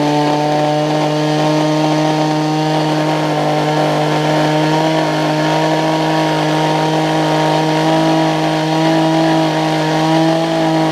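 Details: Older Homelite two-stroke hedge trimmer after new fuel lines, primer bulb and carb tuning: high steady buzz holding one pitch for ten seconds without bogging or surging, smoking heavily; running properly.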